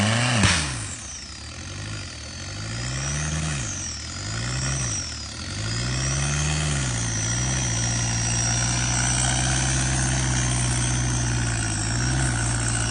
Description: Engine knocked on off-road